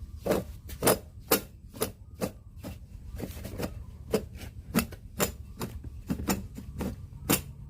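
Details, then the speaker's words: AC compressor failed inside (jebol) and can no longer turn, giving sharp, uneven knocks about two to three a second over a low rumble; the whole set needs replacing. "Terjadi lagi, kawan. Kompresor jebol sampai enggak bisa berputar."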